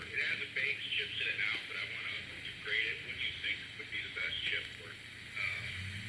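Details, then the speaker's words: 1960s Volt 2 two-transistor radio, previously completely dead, now repaired and receiving a station clearly at low volume with voice and music, no crackle or dropouts. "oh you can actually hear it sure if you can hit or not not very loud hopefully you can hear that oh that's actually working"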